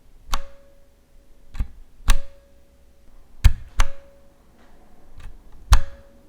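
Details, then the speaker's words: Leopold FC750R TKL keyboard, aluminium frame, Cherry MX Silent Red switches: each keystroke thuds softly followed by a thin metallic ping ringing out as the aluminium case reverberates. "there's a major one here and it's that annoying ping noise let me say that again every time you type anytime there's a it rattles it pings it makes it's very very annoying just listen to it for yourself"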